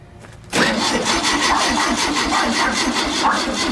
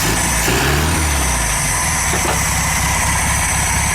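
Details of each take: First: Air-cooled VW Super Beetle engine, freshly assembled and mounted, first start attempt with straight 30-weight oil, battery running low: quiet cranking, then an uneven sputtering roar that stays rough; fires briefly but won't keep running. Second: VW Super Beetle air-cooled engine on its first run after reassembly, on straight 30-weight oil, about 70°F: an even, rattly idle with a steady beat and no misfire gaps, sounding like it runs on all cylinders; vacuum leaks still to be checked.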